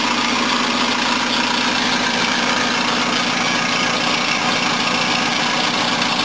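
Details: 1976 Mercedes W123 230 at idle, first look-over: hissy, chattering rush with a buzzy rattle on top from noisy drive belts, a leaking exhaust and a vibrating bracket; engine itself sounded okay.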